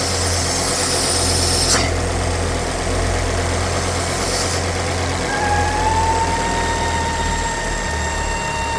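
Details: Ford S-Max 2.5T (Volvo five-cylinder) at idle: thin steady whistle near 900 Hz with strong crankcase negative pressure, from a failed oil filter housing breather diaphragm; the fix is replacing the diaphragm or the complete housing.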